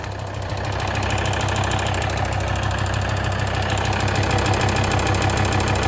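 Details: Volvo D5244T12 diesel, 170,000 km, cold start below +5°C: fast regular ticking, about 200 a minute, loudest at the front wheel arches (right slightly more) and near the drive belt. Engine runs smoothly; the tick fades once warm.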